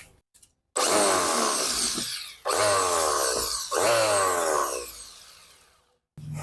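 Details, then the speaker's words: Richu electric planer, complaint of a loud noise at the front, test run with the belt fitted: harsh, loud buzzing whirr in bursts as it spins up, shaking very strongly; likely unbalanced cutter blades. "getarannya sangat kuat sekali saya akan lihat dulu apa penyebab dari getarnya kalau kita pasang fanbellnya kemudian kita jalankan Wah ini sangat sangat getar sekali kemungkinan dari ketidak seimbangan dari ee pisaunya"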